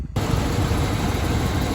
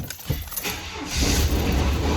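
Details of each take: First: 1993 Chevy Silverado 5.7L 350 TBI V8, previously knocking, after new heads, head gaskets and rocker adjustment, coolant not yet bled: steady low idle rumble with even beat and no ticking, knocking or stumbling; runs smoothly, no warning lights. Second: 1993 Chevy Silverado 5.7L 350 TBI, knocking worse over weeks: engine runs with uneven lumpy knock at rough idle, sounds like rod knock; compression 150 on all but middle two driver-side cylinders at 90; blown head gasket or cracked head suspected.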